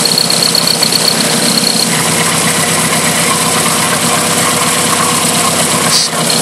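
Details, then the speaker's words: Toyota 4E-FTE turbo idling, breather venting excess gas and oil vapour, exhaust smell in cabin on boost: loud airy hiss over a slightly uneven, missing beat; cylinder 3 at about 118-120 psi vs 175-179, rising about 30 with oil. "my car has basically started um blown out gas and oil at my breather I notic the engine has sound quite slightly different it sounds like it's missing but the car still runs the same and idle is okay"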